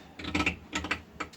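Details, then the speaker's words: VW Squareback door with ISPWest door kit installed: short irregular clicking creaks in bursts as the window moves; owner suspects the window regulator arm needs lubrication, not confirmed. "It's the arm at the bottom of the window regulator, or it's the window regulator arm, I should say. I think it just is a little in need of some TLC"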